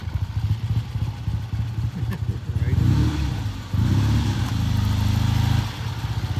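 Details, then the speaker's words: Freshly rebuilt 1970 Triumph motorcycle on its first ride: even, crisp twin exhaust beat climbing smoothly as throttle opens, no knocks or rattles; accelerates well, normal running. "sounds good what do you think accelerates very well uh shifts through the gears again you have to be very deliberate in your shifting"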